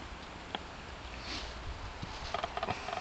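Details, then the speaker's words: Homemade wind turbine built on a trailer hub with bicycle-fork pivots, heard up close: faint, fairly regular light ticking; owner suspects it needs greasing, not confirmed. "actually now that I'm up up close to this one I can hear it ticking a little bit I might need to grease my"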